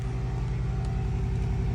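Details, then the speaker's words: John Deere 7200R with failed IVT transmission, come-home mode (fuse 32 pulled), key on, put in neutral: electric backup steering/park-brake hydraulic pump kicks in with steady low pulsing hum, even pitch; normal hydraulic pump operation. "Put it in neutral. You can hear the pump kicking in."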